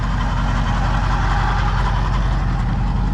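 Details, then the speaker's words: Pontiac V8 with rebuilt Holley carb, timing just set, idling with a steady deep rumble and a rough, gritty whirr from the old alternator's worn bearing. "You can hear the old alternator. It's obviously got some bearing issues, grinding away in there."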